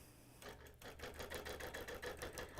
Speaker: You can perhaps hear the thumping because I'm stitching right through that seam allowance with my little extender.